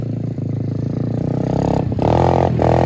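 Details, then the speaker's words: Apollo RFZ 125 pit bike, about three hours of use, after fitting a knock-off Mikuni carburetor with reused air filter: catches and runs with a quick busy putter that picks up slightly; running good. "all right she's running good"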